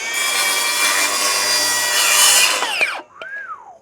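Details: Milwaukee Fuel circular saw with stock Milwaukee blade cutting a 2x6: high-pitched motor whine holds steady through the cut without bogging, then spins down cleanly; normal, strong cutting.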